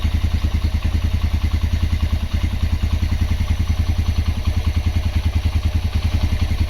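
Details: Honda GL Max Neotech single after restoration/rejuvenation: even, quick low putter with steady beat and no knocks or rattles; idling smoothly and healthy.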